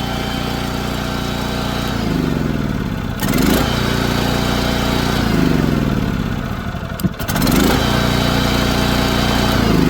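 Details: Lincoln Bulldog 5500 welder's small single-cylinder engine, test run during maintenance with carburetor cleaning and new power switch: steady even firing, governor briefly pulling revs now and then, settling cleanly; normal running.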